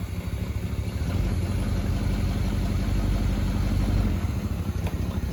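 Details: 1974 Chevy C10 old V8, sat about 5 years, just revived on a temporary inline fuel pump fed from a raised tank: low, steady rumble with an even beat of about three pulses a second, holding a settled idle; normal idle.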